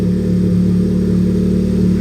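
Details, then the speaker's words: Honda Civic Type R turbo on jack stands, warmed up, while chasing a boost leak (charge pipes and intercooler end tank gaskets are the suspects): smooth, deep, even drone at held revs, no hiss, flutter or dropout; sounds much better than before. "so much tables it's already sounding a lot better than what it was before i don't think uh kathy wanted me to rev it that much but"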